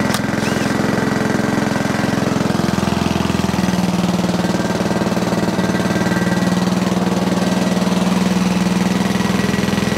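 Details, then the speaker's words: Sovereign single-cylinder lawnmower running after gunk cleaning: a steady lowish chug that never reaches a full governed howl; still down on revs, carburetor bolt air leak suspected. "okay still not revving as high as i would like"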